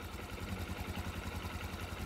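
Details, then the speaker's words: Motorcycle engine after repair of incorrectly installed sleeve, muffler blocked by hand to check: quiet low steady idle, even beat, no ticking or knocking, louder puff near end; no smoke, healthy idle. "Ayan, wala nang usok. At tahimik na po yung makina."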